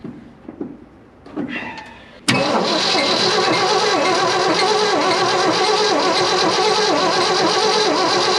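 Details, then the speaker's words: 1972 Ford F-250 after sitting at least 14 years (parked since about 2008): cranks on the key after jumping the solenoid with a jump box, steady even chug about three turns a second, no firing; turns over but won't start. "all right it turns over so probably built up a little bit of oil pressure there lubricating some stuff"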